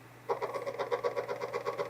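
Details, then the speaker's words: 1.2 MB floppy drive from an IBM 5170 PC AT that has been finicky. The drive light comes on and it tries to read, with quick, even head-step clicks about eight per second that sound rough. It then read a disk fine, so it is likely a working drive. "Got a light. It's trying to read. The head did not sound good, but maybe that is just this particular drive."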